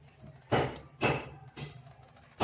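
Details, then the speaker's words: Polytron PMA 9502 subwoofer removed and tested with an analog multimeter after suspecting a burnt voice coil: four sharp crackling pops as the leads touch, meter needle moving; voice coil intact, green-blue wire suspected broken. "Nah, di sini bisa teman-teman dengar, di sini muncul kretek-kretek. Dan ditandai juga dengan jarum AVO, dia bergerak ya teman-teman."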